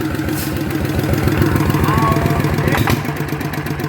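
Even, regular putt at roughly three and a half beats a second with no knock or clatter; this idle is healthy and smooth.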